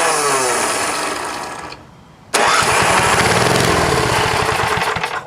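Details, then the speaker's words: Vintage snowblower engine, fuel tank not connected, run on gas poured into the plug hole: catches and roars briefly, fades, fires again and runs rough before cutting out; carburetor bowl full of crud, float stuck, fuel starvation. "I guess it's some ugly crap. So nothing was getting in there from the gas line. That float is just stuck."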